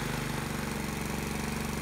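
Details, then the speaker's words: Predator small single-cylinder engine on dyno driving a GM alternator, 3000 rpm target, loads added in 20 A steps toward 100 A (about 3 hp): even fast heavy low thumping, engine audibly struggling as load increases. "and you can hear it struggle as i add the loads"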